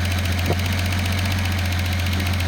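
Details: Datsun 280ZX turbo at idle after the mixture is adjusted richer from max lean: low, steady idle hum with an even beat and no stumbling; smoother running than lean.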